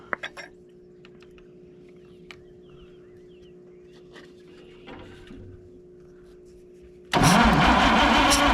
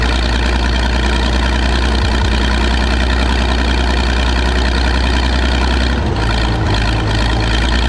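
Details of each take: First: Michigan 35A wheel loader recovered from a weed pile: starter cranks about three seconds with an uneven beat where one stroke pushes back less; number one cylinder has low compression. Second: Michigan 35A wheel loader's old petrol engine, revived after sitting in weeds (broken spark plugs removed, compression restored, a cleaned connection fixed running after running out of gas): steady low-pitched idle, no misses or knocking; running properly again.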